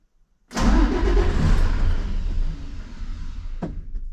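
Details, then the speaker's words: Cummins ISC 8.3 diesel in equipment with air in the fuel, rail pressure commanded to 6000 psi but dropping on live data: steady even cranking for about three seconds with no firing; no start because the rail loses fuel. "see my rail pressure dropped all the fuel that was in the rail's gone now see it keeps dropping there's no fuel in the rail okay so she's not starting"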